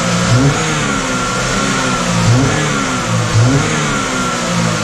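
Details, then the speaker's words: 2012 Chevy Equinox after jumped-timing repair and carbon-cleaned valves: revs surge and sag about once a second, rough stumbling; misfire with skewed fuel trims pulling 20% fuel, suspected cleaner in oil drawn via EVAP, bad catalytic converter. "I suppose it's mising from all that oil in there we dump oil in there cleaner c n how about Missy are we missing a hose or something why is the we are running this here we're having some issues with the fuel Trims"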